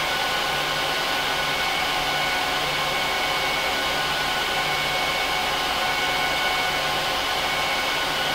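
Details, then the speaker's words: HP ProLiant DL380p Gen8 server (24 DIMMs, eight 300 GB 10,000 rpm drives in RAID 5, both power supplies, no cards) during POST and boot: loud, steady rushing air with thin high whistle; fans at full speed, normal. "I'm going to let it run through a full post and boot up so you can hear how loud it is"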